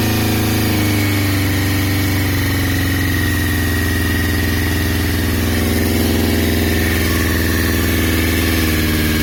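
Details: 2002 Yamaha YZF-R6, 28,000 miles, ignition/engine issue of unknown cause: four-cylinder idle with an uneven, stumbling beat and occasional dropped pulses, sounding rough; engine misfire.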